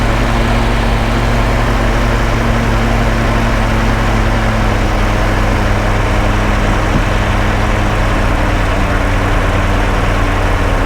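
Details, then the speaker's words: Hotchkiss (Willys) army jeep being tuned: after idle adjustment, steady low, even idle with smooth unbroken beat, no misses or knocks; normal idle. "Okay, that's running at more acceptable level. We just need to rev it a little bit just to clear things out, and then we're just listening. Okay, that sounds good."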